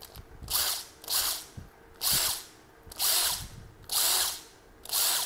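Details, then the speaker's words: Made-in-China 360 W drill, 50/60 Hz, chuck still tight: six short high-pitched whirring bursts about a second apart in both directions, each cutting off sharply; motor spins freely, electric brake stops it quickly. "còn Thắng từ tốt nha trái phải nè"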